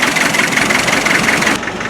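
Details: Land Rover 90 with 2.5 NA diesel, now warm after purging air: uneven, lumpy idle chuffing with an irregular knock and smoke at startup; mystery misfire, owner hopes it's an injector, valves checked after rocker cover removal, unconfirmed.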